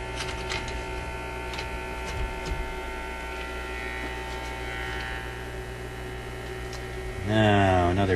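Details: Zenith Y825 vacuum tube AM/FM radio during the hunt for hum and buzz, tube shields being fitted, one shield suspected not grounding: steady low hum with a buzzy edge that never changes; mains hum in the audio stage, cause suspected.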